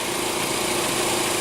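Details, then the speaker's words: Back-lot car with a 2.4 L four-cylinder idling with the check engine light on and the air conditioning running; steady, even idle hum with no knocks, misses or ticks; doesn't sound too bad. "Doesn't sound too bad."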